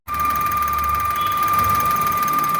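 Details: Maruti Suzuki S-Presso VXI-Plus, bonnet open: steady high-pitched squeal over a quiet idle from the front of the engine; owner suspects the water pump, with coolant trouble, but the source is not yet confirmed.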